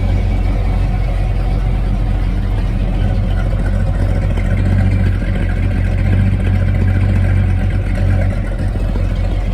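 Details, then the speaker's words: Carbureted V8 Ford truck with a 2-barrel carb and 3-speed FMX auto, not driven in a couple of weeks, very warm day: deep, steady, even idle rumble after start, with no misses or knocks; normal idle. "This thing usually starts right up with no problems at all. This thing is like a Swiss watch."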